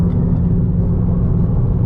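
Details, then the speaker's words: Mk6 GTI under load on a freeway pull, warm, after repair of a seized exhaust-side balance shaft (new balance shafts, chain and tensioner): deep, even rumble holding steady with no knocks, rattles or misfires; running smooth. "Been running really, really smooth. Done a few pulls already."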